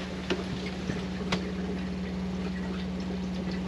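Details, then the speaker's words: Used motorhome water system check: steady, even low hum from the fresh-water pump running with the tap on hot while the roughly 10-litre water heater fills; normal, stops once the heater is full and the tap is closed. "you can hear it away that's because it's got to get 10 liters of water into that water into there"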